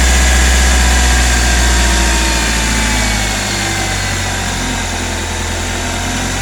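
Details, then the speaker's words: Hyundai i20 at idle, checking for timing chain noise: steady even idle with only a light lifter tick, no rattle from the timing chain side; sounds normal. "अभी हम engine हमारा ideal speed पे start है। अभी हम देख रहे हैं किसी भी टाइप की कोई भी आवाज़ नहीं है, सिर्फ ओनली लिफ्टर्स की आवाज़ आ रही है इसके अंदर।"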